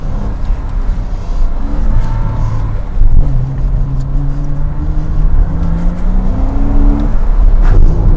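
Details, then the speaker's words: 2007 Porsche Cayman flat-six, hard-acceleration autosolo run at Goodwood after an earlier Variocam-related misfire was repaired and now runs well: engine note climbs cleanly through each gear with even pull, no stumble or missed beats; normal acceleration. "that felt better that felt a bit better it did it was better didn't select Reverse by mistake that time much quicker and clean"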